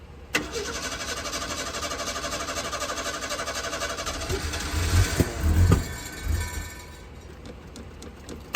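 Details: 1976 Ford Pinto that shut off on highway with 2 gallons fuel in tank: several seconds steady cranking, a few sputtering catches that die away; won't keep running. Owner suspects choke sucking shut, burnt fuel pump or disconnected wiring.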